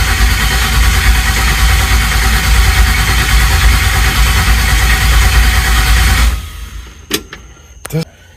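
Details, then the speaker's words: Chevelle after swap to 350 engine and 400 transmission, good voltage at coil while cranking: heavy even cranking about three beats a second for six seconds, never fires; owner suspects the reinstalled distributor, plans to swap in an HEI. "okay so the distributor I had um was when that was sent back for inspection and I was told that it works good so we put it in there but I'm thinking that was our problem"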